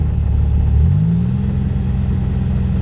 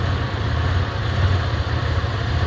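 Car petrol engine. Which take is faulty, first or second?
second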